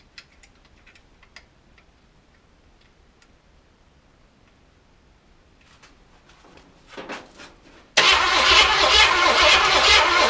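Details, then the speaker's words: Project car with newly installed distributor, no raw fuel added: starter spins engine at fast, even chug but never catches; crank no start, no spark because the distributor plug was never connected. "oh it helps when you plug this up distributor I never plug plugged a distributor plug in"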